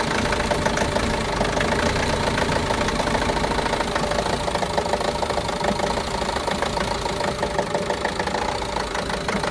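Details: Renault Master diesel, fault code DF065 misfire: uneven idle with loose irregular knock about three times a second; all four injectors and their wiring already replaced with new ones, no change, cause unknown.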